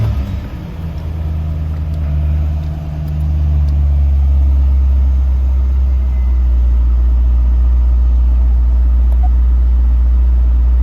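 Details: 2002 Chevrolet Corvette C5 Z06, stock LS6 5.7L aluminum-block V8, start-up: deep even rumble settling from start flare into smooth steady idle, no weird noises, lifter tick or rod knock. Normal idle.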